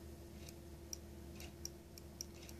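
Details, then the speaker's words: Idle switch click on a bench-tested throttle body from a 1994 Mercedes E420 (non-ASR), with wiring replaced and the linkage stop ground down. Four crisp clicks as the throttle closes each time; the idle switch now engages properly. "there was also a problem with this uh idle switch so now you can hear it it clicks now so the um linkage never reaches the stop without the click so now it clicks"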